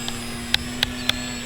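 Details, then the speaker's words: Origin Hobby Wilga-2000 electric RC plane just after takeoff on a freshly, fully charged battery. Shrill beeps roughly every quarter second from the low-voltage indicator sound over a steady motor hum. The owner suspects the alarm is set incorrectly. "so you guys hear the beeping uh that is a low voltage indicator I have in the plane it may be set incorrectly"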